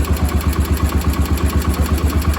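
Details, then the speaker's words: Cub Cadet 1250 hydrostatic garden tractor, sat 20 years under a barn shelter, first start after carb cleaning: steady, even single-cylinder idle with regular firing, no misses or knocks, quiet after blowing debris out; normal idle. "look at the stuff on the CR God Almighty man it blowed some stuff out didn't it listen to that that is quiet"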